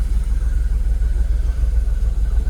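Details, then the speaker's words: Jaguar XKR (X100) at idle after swapping aftermarket coil packs for genuine used Denso coils on bank 1: a low, even rumble with no stumbles, fuel system in closed loop with no faults, a smooth settled idle. "we're getting readings on the shortterm fueler we're idling I've got no Faults we're at a good"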